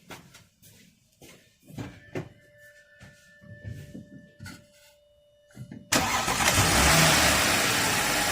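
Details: 2012 Audi A7 3.0L supercharged, restarted after intake reinstallation: cranks, catches near six seconds and settles into a steady, even idle with no stumble, but it still shows vacuum where it shouldn't, which may mean removing the intake again.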